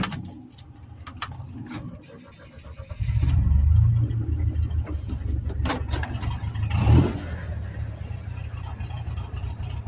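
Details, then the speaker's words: Rebuilt Chevy S10 2.5L Iron Duke, seconds after stalling, engine barely warm: cranks and catches, then runs lumpy and uneven with a surge; stalling and rough running, cause unknown (suspects O2, thermostat, vacuum leak, IAC, EGR). "okay so this is just a few seconds after it died hopefully it's going to do what it does so everybody can see what it freaking sounds like when it does this stupid"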